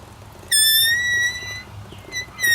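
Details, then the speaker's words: Motorcycle after break-in service: sharp high squeal in short bursts with quiet gaps, coming and going as the wheel turns. Wheel squeak; owner suspects a bearing, source uncertain. "I think it is that bearing you know that I'm going to disassemble all this again"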